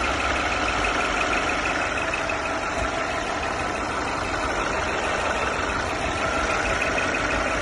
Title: Mercedes E350 Coupé pfeifende Motorgeräusche